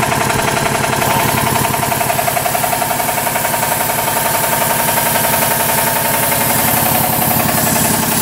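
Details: 40-year-old 25 hp American Kellogg 462 air compressor, before overhaul: steady pounding about 220 per minute with a hard metallic edge each stroke; rod knock on 3 of 4 connecting rod bearings.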